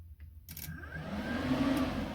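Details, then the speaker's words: Turbo Fiat Cinquecento project: the radiator fan relay, which was meant to be triggered by the ECU, is here switched from a battery power feed. The relay clicks, then the fan spins up with an even, steady whoosh. The radiator fan works properly. "ah sweet sound of sweetness at least here you should be able to hear the actual relay ticking yeah oh god i can't believe it was that easy"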